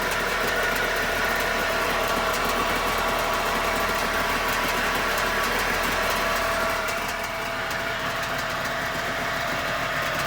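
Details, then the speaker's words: 2002 Kawasaki STS 900 jet ski two-stroke, sitting since about 2016, briefly run without cooling water hooked up: continuous buzzing drone at steady speed with no knocks or stumbles; starts and runs fine, though the exhaust is reported to run hotter than it should. "i don't want to run it too long without the water hooked up basically i just want to make sure she'd crank up and she obviously does"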